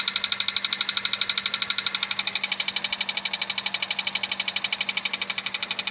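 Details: 2001 Honda Civic 1.7 automatic: sharp, high-pitched ticks about twice a second, very even and steady, over a faint engine hum; ticking engine noise, source unknown.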